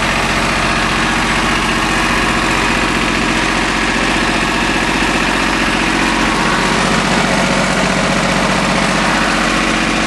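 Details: Small three-cylinder Yanmar diesel after bleeding air from the fuel filter and injector lines: steady, even clatter at unchanging idle, no misses or surging; running smoothly, normal.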